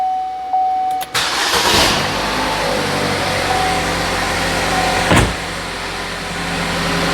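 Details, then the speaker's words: 2012 Buick Verano with intermittent no-crank, stalling and lost communication with ABS module, CAN bus now bypassed around the ABS module (pins 9-10 and 11-12 jumped): brief crank, quick catch, steady even idle with no stumble; normal start. "so the car should start now without the ABS Module in it so I'll see if it'll start"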